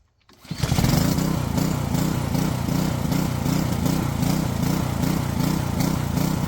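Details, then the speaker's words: Small engine after draining old fuel from the float bowl and refilling with fresh fuel: runs with a mild rhythmic rise and fall about every third of a second, still surging a little but much improved. "Well, still doing a little surging, but seems like that cleared it up quite a bit."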